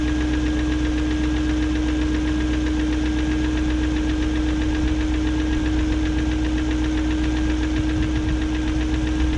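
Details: 2001 BMW E38 740i Sport idling: fast light top-end ticking over a steady hum and constant whine, persisting after timing chain guide, tensioner and VANOS profile gasket replacement; no codes, idle smooth; owner suspects VANOS unit, cause unknown.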